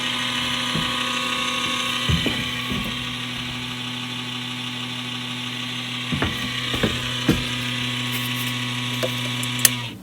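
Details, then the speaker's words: Showtec 1W RGB LED PAR64 long-nose fixture, about 12 years old: loud, steady rasping growl over a low hum that runs down when switched off, from its failed cooling fan, audible across the venue; fan to be replaced. "the fan in the light just died spectacularly and it was making one hell of a growl"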